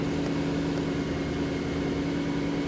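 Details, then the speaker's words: Jaguar XJ8 LWB (X308) V8 after the non-Denso bank 2 sensor was replaced and the engine light went out, no warning lights: steady, even idle hum with a constant low drone, no misses, knocks or hunting; smooth normal idle. "Absolutely no warning lights there. And as always, silky silky smooth on that V8."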